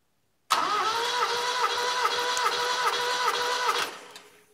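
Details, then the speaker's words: 1975 Satoh Elk 550G tractor, 4-cylinder liquid-cooled gas engine, stone cold, all plugs out, wide-open throttle, fuel pump disconnected, compression test: quick even cranking about 2.5 beats/s over steady whir; reached 150 psi within 5–7 revolutions, good compression. "look at that that is exactly what you want to see sharp rise within five to seven revolutions"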